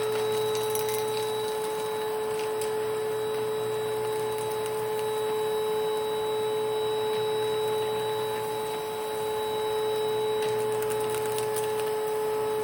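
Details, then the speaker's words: 1992 Panasonic Jet-Flo MC-9530 canister vacuum running with its power nozzle: steady high motor whine with a faint rough, uneven undertone through the run; the motor bearings are worn or dry and need replacing or regreasing. "As you can see, the motor definitely needs either new bearings or new grease."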